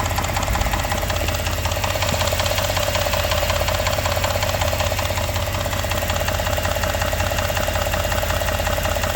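Steady idle with a regular knock around 160 a minute riding over the engine note, nothing else competing; an internal knock.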